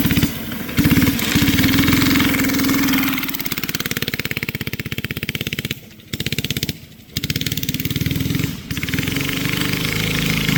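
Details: Barn-find race go-kart with an original flathead Briggs & Stratton that once ran alcohol, now on E85 after sitting 30+ years; the single pulls, then repeatedly sags and stumbles under load and picks back up, bogging. Carburetor issues suspected.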